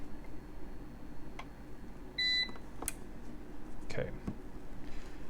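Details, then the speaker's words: APC Back-UPS 425 (BE425M) after battery replacement, powered up without earth ground: relay clicks in with one short clear high beep as it self-checks, may warn of building wiring fault, then charges battery; normal. "beeping, the big relay's coming on, it's doing its check. It might beep and tell me that there's a problem with the building wiring."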